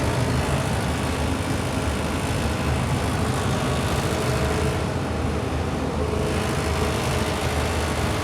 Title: Furnace heat draft making noise #heat #service